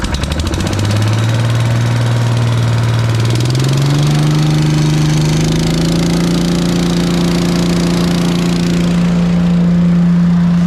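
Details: Briggs & Stratton single-cylinder engine on an Agri Fab Mow & Vac leaf vacuum, after carburetor and fuel system work, with the hose attached: fires, climbs in two steps to a steady high hum and holds speed evenly; runs healthy.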